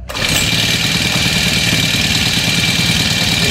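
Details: Brand-new small two-stroke grass cutter that died during use: after the spark plug fix it starts on the first pull and settles into a steady, even buzzing idle.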